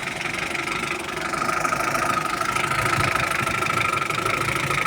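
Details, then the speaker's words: UAZ 469 with 417 engine, called out for a reported knock: even idle with only light quick top-end ticking, no deep rumble or cam knock; engine runs excellently, normal idle. "хорошо работает хорошо работает отлично работает вообще изумительно работает"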